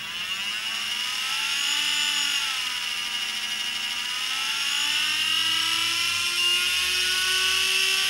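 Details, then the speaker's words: New, never-used Turnigy SK3 fan-drive brushless motor in no-load testing, five-cell pack: thin wavering whine creeping up slowly, far below the expected 20–30,000 rpm; slow to respond and getting very warm; faulty motor or speed controller suspected; brushless motor low rpm. "the other one we didn't even go past half throttle and you could hear even though it's rough sounding that sounded like a 15 or 20 000 rpm motor they should be doing the same sort of speed and you can see you can hear that it's not"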